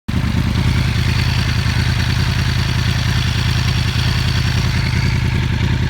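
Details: Yamaha R1 engine at idle, 3,000 and 5,000 rpm: steady running with a busy mechanical clatter on top; engine noise whose source can't be pinned down.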